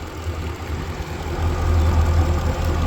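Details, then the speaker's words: Mercury engine on boat after thermostat failure at 56 hours fixed, good water pressure: deep smooth idle with faint light injector ticking, left idling to check overheating; idles healthy. "You can hear the fuel injectors for sure. I'm gonna let it run for a while here too at idle, because that's when it's gonna want to overheat the most, like I said before."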